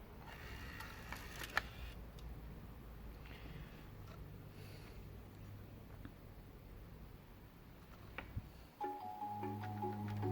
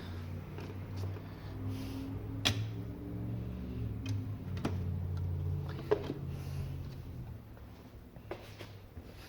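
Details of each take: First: Bose AWRCC1 radio CD player after recapping boards to fix skipping and clicking, started cold: quiet spin-up without clicking, then steady music; disc reads normally. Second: Bose AWRCC1 radio CD player: faint drive whir with irregular sharp clicks every second or so as it hunts and keeps skipping while trying to read the disc; failing control board capacitors suspected.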